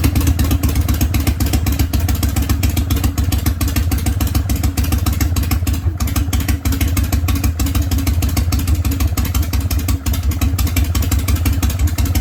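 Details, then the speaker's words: Harley Panhead big twin started from dead cold with priming kicks and choke after setting point gap and advancing ignition timing; deep, steady potato-potato idle with even firing and no misses or backfires; runs well after timing adjustment. "so it sounds like it's good yeah you can definitely tell it's a bit more advanced"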